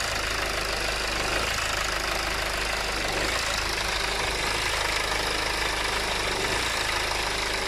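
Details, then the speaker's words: BMW 520d M Sport diesel, warm idle: uneven clattering idle with rpm hunting up and down, no dashboard faults; car also cuts out at traffic lights and won't restart until key cycled, caused by a faulty fuel quantity control valve. "the only thing is i can see is just a rough idle and it's jumping up and down and i'm gonna mention again it cuts off sometime at the lights"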